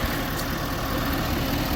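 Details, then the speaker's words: 2012 Ford F-350 6.7 Powerstroke diesel after new injectors, CP4 high-pressure pump and disaster prevention kit: even idle clatter, no knocks or surging, CCV venting; running healthy. "But thing runs. CCV's chooching."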